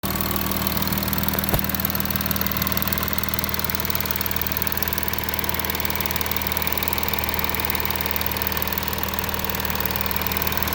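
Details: Audi A6 4G idling after passenger-side exhaust camshaft replacement: smooth, even idle with steady hum, no clicking or ticking from the top end; former knocking is gone, engine sounds healthy.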